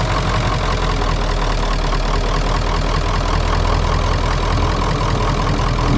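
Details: 1996 Ford F250 7.3L Powerstroke diesel revived after sitting, started on starting fluid; heavy clatter settles into a steady even idle with no misses. Check engine light is on and it may not be charging.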